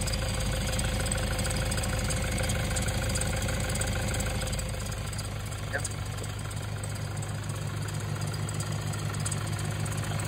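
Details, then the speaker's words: 2011 Toyota Hilux KUN26R, 1KD diesel, manual, 130 A alternator, at idle before repair; steady clatter with a faint constant whirring growl at the front from the alternator; battery warning light always on; worn alternator bearing suspected. "And yep, the battery lights. That battery indicator is always on. So yeah. Alternator, possible alternator for that one, but we're gonna double check that one also."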